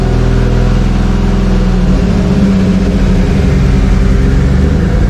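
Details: Freshly installed 2JZ engine at first run: steady even hum holding a fast idle without hunting; revving a little high, suspected vacuum leak or a sensor misreading, unconfirmed.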